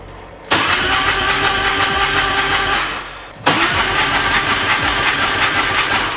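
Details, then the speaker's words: Harley-Davidson Road King after engine work, cranked with spark plugs removed in five-second bursts to build oil pressure before first start: even whirring crank with no firing, pausing then resuming. "just keep it on cuz it's not going to start there's no spark plug so so hold it down hold it down for 5 seconds 5 Seconds going to be loud"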